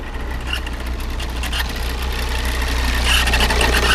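Diesel idling with a rough, uneven knock riding over the low rumble, plus a faint high squeal near the end; cause unclear.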